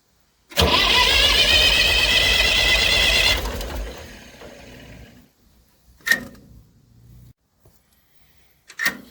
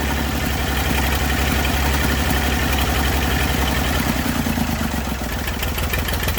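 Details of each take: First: Massey Ferguson 35 diesel tractor, not started in weeks. Water leaks, fuel leak, and radiator needing replacement; owner suspects the injectors. Steady rapid cranking, then weak coughs without catching: diesel slow to start. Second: Massey Ferguson 35 diesel tractor, sat in woods 20+ years, revival start with leaking radiator, water and fuel leaks: steady low chug around two beats a second at idle, no knocks or misses; running properly.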